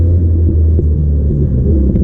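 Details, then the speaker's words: 1978 Triumph Spitfire, warmed up and climbing a hill, with the choke voltage down to 11 volts. A deep, labouring engine drone is broken by sharp pops: it is backfiring with no power. Cause suspected, not confirmed, possibly linked to the choke. "It's just backfiring. No power."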